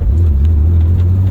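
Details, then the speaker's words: Driveline vibration while driving a Daytona Violet BMW E36 M3 (S50 engine) just revived after sitting: steady heavy low drone under the car at constant speed; driveshaft was replaced and checked tight, owner suspects the unreplaced center support bearing. "Oh, that's sad. That's sad. It's a drive shaft. I put a drive shaft in this though."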